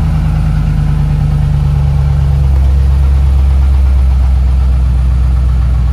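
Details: Chevrolet LS3 V8 on a cold start: a steady deep idle rumble with a faint, uneven tapping that lasts about a minute and then goes away. The owner is unsure whether it is lifter noise or piston slap.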